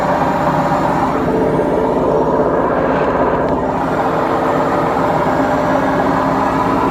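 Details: Beko washing machine, 7 years 8 months old, during spin; loud steady rumbling roar with no letup from a worn drum bearing; machine to be replaced.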